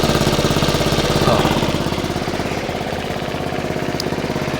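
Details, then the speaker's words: Honda Forza 125 after starter-alternator replacement, idling with engine warning light on: sharp regular puffing tick about three beats a second over idle; exhaust leak from a big hole at the O2 sensor area. "And, uh, sounds like he's got an exhaust leak. Maybe not. Yeah, he's got an exhaust leak."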